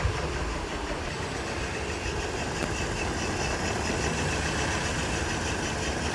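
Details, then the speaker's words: Scion xB petrol engine, code P0300, idling unevenly and shaking with sporadic low "puh puh" puffs. It surged while driving, and a failing cylinder 2 coil pack was later confirmed. Engine misfire at idle. "it's shaking a bit it's a it sounds like it's doing something weird"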